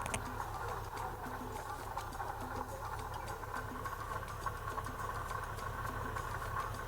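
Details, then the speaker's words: Classic car idling, rattle unchanged with clutch pedal up or down; steady fast light rattle over even idle; water pump pulley bearing worn and on its way to collapsing, recently started. "Well, it's definitely a bearings collapse. Or a bearing On the not way. so much collapsed, it's On the a way. bearing that's very noisy."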